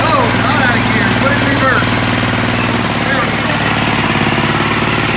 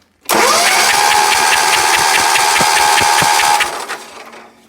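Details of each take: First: Sears ST/16 garden tractor revived after long storage with a new fuel pump, carburetor swapped from another tractor and rewired: steady even drone with a smooth firing beat, no knocks or misses; running healthily. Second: Sears ST/16 garden tractor, long-stored hoarder find, oil slightly overfull, spark confirmed: starter whine with steady compression beats about two and a half per second, never catches; crank no start, no fuel in it.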